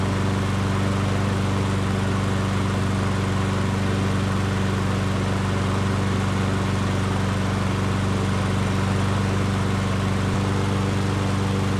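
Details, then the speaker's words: Yard Works self-propelled push mower, wrongly claimed seized, after sitting on its side, blade refitted: steady, even single-cylinder drone at constant speed, no knocking or rattle; running smoothly. "so there you have it guys um I had to adjust the cable here for the self-propelled system once I did that and the self-propel worked perfectly"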